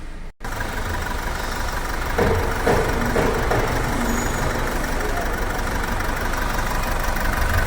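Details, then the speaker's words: Mahindra diesel at idle: rough, lumpy stumbling beat. Code P0272 was logged for the cylinder 4 injector, and unplugging each injector confirmed cylinder 4 dead while the misfire persisted after clearing codes; faulty injector. "अब इसको करते हैं clear check light चली गई और RPM normal हो गया लेकिन गाड़ी के अंदर अभी भी मिसिंग बाकी है"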